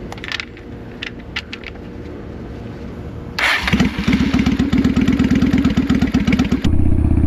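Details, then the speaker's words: 1993 Honda Shadow 600 (VT600) started right after an oil change and refill: quiet at first, then it catches at once and settles into an even, steady firing beat; clean healthy start, with the oil light to be watched. "All right, now that we have it filled up, we're going to put the filler cap in and we're going to let it run for a little bit. When you turn it on and start it, make sure you pay attention to that oil light."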